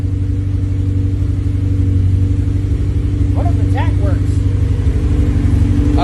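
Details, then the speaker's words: Honda K24 swapped dirt car running after dead fuel injector replaced with a stock one; even, steady fast idle on all four cylinders, no misses, healthy engine. "oh baby like a song huh oh yeah that's how she's supposed to sound like a kitten"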